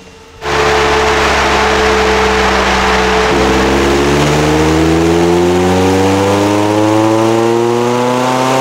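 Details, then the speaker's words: Lotus Elise 250 Cup on the dyno during an ECU Master plug-and-play mapping session, full-load pull: the pitch climbs smoothly with a breathy rush, and the exhaust line is judged restrictive because it blows. "T'entends que la ligne elle est restrictive parce que ça souffle."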